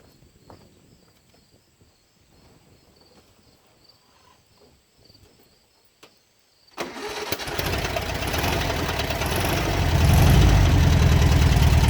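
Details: 1967 VW Beetle engine revived after sitting, restarted after correcting the valve train: engine catches and settles into a steady knock of about four per second over the idle, definitely on cylinder 1 and pulsing through the carburetor; cause unconfirmed.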